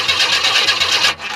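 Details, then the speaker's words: 1994 Chevy Astro van, newly installed remanufactured engine, cold, cranking; a compression check read about 180 psi. Steady, even cranking about five beats per second with no lazy strokes; normal cranking, even compression. "but I did check with compression and uh we got like"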